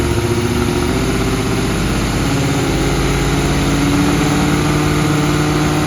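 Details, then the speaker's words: 1980 Kawasaki KZ1000G (Z1 Classic) motorcycle, carb sync checked as fine: loud idle stumbling with uneven beat that won't settle; owner suspects a wrongly set valve is starving it of fuel, not confirmed. "i think i i've got this valve wrong and i'm starving it out of gas"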